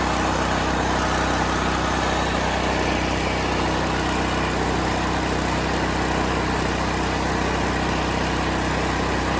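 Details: Propane (LPG) generator, started with choke on start then switched to run: settles into an even, steady drone with no misses or knocks. Normal running.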